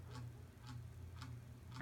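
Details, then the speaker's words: 42" Hampton Bay Littleton ceiling fan on medium speed: soft ticks about twice a second over low motor hum, in step with rotation; bent blade wobbling and vibrating. "Now for medium speed. Now you can hear the blades vibrating."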